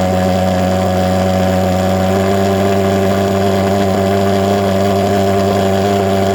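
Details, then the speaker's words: Vectorfog H100SF gasoline pulse jet thermal fogger on VP Racing canned fuel, fuel valve wide open: loud, dead-steady drone with a fixed buzzing pitch, no misses or pops; firing evenly, normal steady running. "you could probably hear the difference there between uh when i had it running kind of lean and when i really fluttered it so that's kind of cool"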